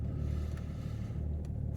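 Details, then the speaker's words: 2008 BMW 330d, cold start, smoking on startup with several glow plug faults stored: deep, slightly uneven, lumpy idle for the first minute. Whether the glow plugs cause it is unconfirmed. "I don't know if you can hear it. A little bit lumpy."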